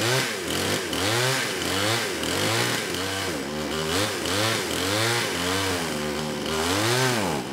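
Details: Kraftworld KW-5800 58cc Chinese chainsaw after repairs restored a fuel pulse, carburetor refitted, cover off, on choke: buzzy note rising and falling with repeated throttle blips, picking up cleanly; longest it has ever run, needles still slightly off.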